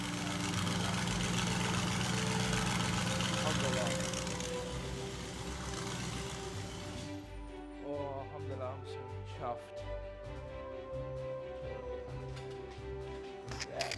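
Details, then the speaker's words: Fire-damaged Audi RS6 after rebuild, freshly started, no coolant yet, oil still to be changed: strong roar settling into a steady, even idle with no misfire or knock; runs nice. "Yeah, it runs nice as well."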